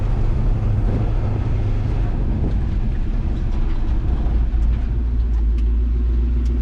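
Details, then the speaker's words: Vehicle on test run after changing carburetor metering rods to lean it out: steady low drone with smooth even pull, no stumble or surging; running much better, normal running. "Okay, I changed the metering rods and leaned out that carburetor and took her for another little test run. And things went a lot better."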